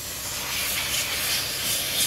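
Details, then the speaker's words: 1999–2001 Dodge 2500 Cummins diesel with intake pressurized to find a boost leak: loud steady hissing rush of escaping air, felt at the intercooler boot, which has slipped off or rubbed through; boost leak at intercooler boot. "coming from that side of the engine somewhere it was right here definitely hear it over here oh yeah oh yeah i can feel it with my hand it's blowing against my fingers"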